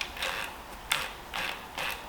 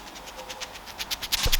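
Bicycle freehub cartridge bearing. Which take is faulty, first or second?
second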